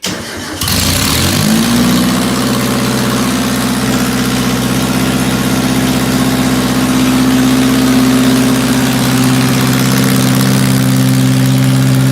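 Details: 1978 MG with swapped 1.6L Mazda Miata engine, just got running, before idle air control valve removal; owner has vacuum leak issues. Catches, then slightly uneven, lumpy, wavering idle; rough running, likely intake air leak.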